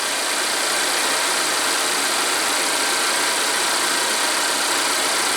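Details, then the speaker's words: Volvo after replacing oil trap 32140004 to cure P0171, a high-idle code and a loud whistle: at raised idle warming the cats, the engine runs with a smooth, steady hiss. The whistle is gone and idle drops. "Alright, before I clear the codes, I'm going to make sure the whistle of death is gone. Alright, we're at high idle to warm the cats."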